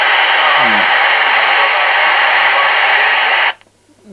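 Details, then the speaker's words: CB radio returned by a customer complaining of crackling and poor reception, tested on a base station antenna: loud steady hiss with a faint distant-station voice buried in it, then squelch cuts to quiet; normal reception of a distant station. "jak widzimy dalsze stacje będzie w szumie odbierało"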